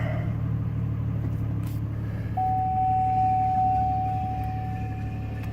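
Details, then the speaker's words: 2003 Chevy Trailblazer 4.2 (4200) at idle: a thin whine cuts in as the A/C engages, and the engine sags, stumbles and dies within seconds. Dirty throttle body suspected, not confirmed; to be removed and cleaned. "problem is turn on the AC motor stumbles chokes down and dies within a few seconds"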